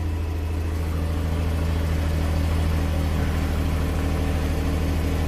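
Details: 2005 Nissan Maxima V6 with a 165,000-mile junkyard engine from a Nissan Quest, code P0303: lumpy idle with roughly three stumbles a second; cylinder 3 is dead from a broken ignition coil control wire.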